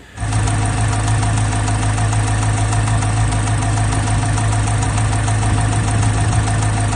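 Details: Chevrolet Corvette C8 Z06 LT6 V8 idling with a sharp, fast ticking over its low rumble; excessive valvetrain ticking addressed by a GM service bulletin, techs scoping to find left or right bank.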